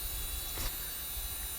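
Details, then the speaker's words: Hard drive in a dual Pentium III server (Intel L440GX+ board) at power-on: steady high whine over constant airy hiss with one brief swell; normal spinning, just a very loud drive. "such a loud such a loud drive for a whole bunch of nothing"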